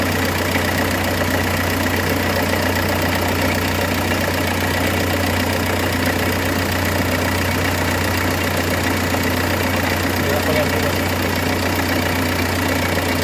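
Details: 2006 Renault Espace 1.9 dCi at idle: a steady diesel idle with a constant rough rattling knock underneath from a badly damaged crankshaft damper pulley that is separating into two pieces. It should not be driven.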